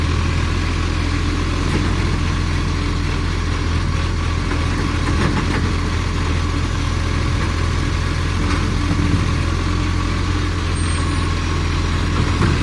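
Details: Millicent Commercial Garbage truck SL01074 diesel idling: raspy, puffing chuff riding on each firing pulse over a steady leak note, from a big exhaust leak.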